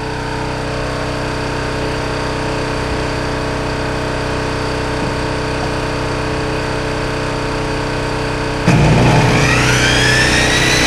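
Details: Coleman Powermate 1850 generator, owned about 9–10 years, powering a skill saw cutting wood: a steady engine drone holds its speed under load without stumbling, though the output is a ragged sine wave. Normal running under load.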